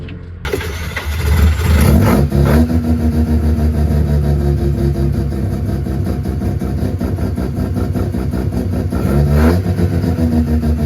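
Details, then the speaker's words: Home-built Mazda 13B rotary, first drive after setting trailing timing and accelerator cable, fuel gauge on E: uneven flat note hunting rather than pulling; running lean, carburetor starving for fuel; Holley fuel pump then installed. "is he's lean as [ __ ] right it's pretty lean something's up"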